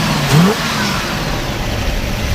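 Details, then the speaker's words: 1968 Pontiac Firebird with factory 400 V8 and 4-speed: the engine blips up with a quick rising roar, then drops back to a steady low burble with no ticks or knocks. Clean, healthy revving. "you know sounds really good no weird noises or anything like that runs too clean"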